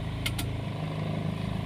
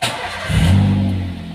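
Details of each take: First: Old Daihatsu Xenia/Toyota Avanza with code 71, idle speed control connector found unlocked and relocked: engine runs with steady hum and quick pulse, rpm still high and unchanged with AC; the ECU still remembers the fault and the EFI fuse must be pulled to reset it. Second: Older Daihatsu Xenia / Toyota Avanza after code 71 (ISC) connector found unlocked and reseated, engine still cold: quick crank, catches at once, short rev, then eases toward an even idle about 1,000 rpm; normal cold start.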